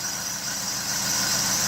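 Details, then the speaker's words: Used hot hatch under the bonnet: steady high-pitched hiss and whine over a smooth idle, unchanged with engine speed. Grease sprayed on the belt doesn't quieten it, but spraying the back of the AC pump instantly does: a dry AC compressor bearing. "So if I come down here where we've got the back of the air-con pump, if I spray it down there, instantly quietens. So that tells me that it's the bearing in the air-con pump down there that is bad."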